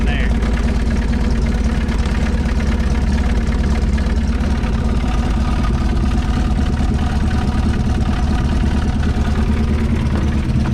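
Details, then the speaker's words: 1970 Ford Mustang Mach 1 V8 after its first start in about 40 years; the engine started right up with just a tap. Deep, steady burble with an even beat, no knocks or misses. Healthy, settled, normal idle. "oh i was gonna explain something real quick and he didn't he just literally just tapped it and it started right up"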